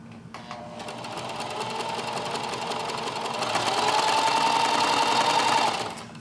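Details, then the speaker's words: Singer 4432 heavy-duty sewing machine after oiling, greasing, cleaning fluff and snugging screws; even quick ticking about three and a half stitches per second with steady hum, no clatter; sounds much better, working as intended. "Absolutely. That sounds a lot better. I'm really happy about this. It got oiled and greased."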